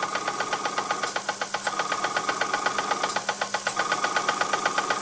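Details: Unidentified Bing steam engine on its first test run on compressed air after the steam pipe was soldered back onto the boiler and the piston, cylinder and frame were repaired: crisp, even chuffs about four per second over a light ring, no misses; runs smoothly.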